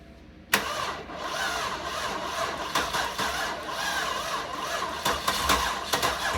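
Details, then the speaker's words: 1998 Cadillac Seville STS, Northstar 4.6 V8, blown head gaskets, previously hydrolocked and frozen, first start of revival: catches after cranking, uneven stumbling idle with irregular pops, misfiring, no knocking heard. "It runs like shit, but it runs. I don't really hear any noise out of it. No, she ain't happy."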